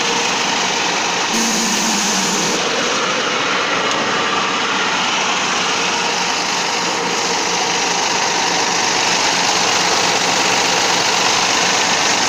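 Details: Steady, even diesel run from a T-150 tractor after a major overhaul, with no knocks or misses and a constant hiss over it; the engine sounds healthy.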